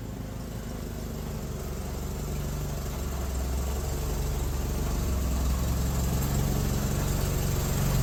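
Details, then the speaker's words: Suzuki SX4 after swapping failing Varajet II for a Holley 3200 carburetor on an Offenhauser adaptor, electric fuel pump at six psi: steady, even low engine note building smoothly with revs, no misses or knocks; second test run went well. "Oh yeah. Cool. The second test run went really well. still needs a few things, but you know, this car feels like a car or it feels like one of our kind of cars."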